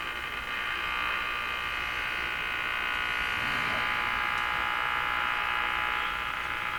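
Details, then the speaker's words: Radio receiver on slightly reduced mains (about 105 V) after IF trimmer alignment with a BK 3030 sweep generator, tuning the band: harsh steady buzz with an even pulse about four per second wipes out stations; interference source unknown. "So there's stations right in this area. Totally wiped out from whatever that noise is we're hearing."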